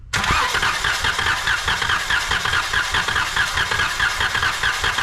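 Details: 2012 Chrysler Town and Country with an idle shake, compression test while cranking via the starter relay with coils disabled: steady starter chug with one light beat per cycle; one cylinder reads 80 psi versus 120–130 expected, low compression.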